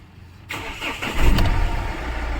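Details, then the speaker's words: Mahindra Xylo diesel, crank-no-start with code P0340, fixed by repairing two wires, a yellow-red coolant temperature wire and a yellow-blue wire: short crank then catches cleanly into a steady idle with no stumble; normal start after repair. "ये देख सकते हो गाड़ी हमारी चालू हो गई है जो प्रॉब्लम था वह दो वायर का ही था"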